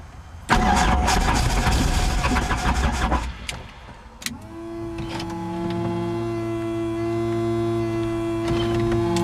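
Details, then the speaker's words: Helicopter that sat all night: starter churns roughly for a few seconds, then a thin turbine whine spins up but never builds; failed start, crew thinks the battery was killed and the engine isn't getting fuel. "something is not going right here back to the drawing board everything off okay i think we killed the battery"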